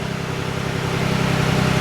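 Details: 2011 Ford F-150 4x4 3.7 V6 after flywheel replacement for intermittent starter grind (damaged flywheel teeth): smooth, even low idle with a steady pulse, no knocking or grinding; engine running healthy.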